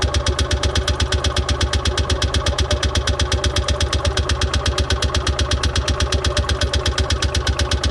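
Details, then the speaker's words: Columbia Parcar (Freightliner-badged) golf cart after a new fuel line was fitted, with the fuel filter suspected clogged and no fuel pump action: steady, even cranking pulses for eight seconds that never fire; cranks but won't start, likely fuel-starved. "Okay, we weren't getting any pumping action with what we have. I think that filter's clogged and everything."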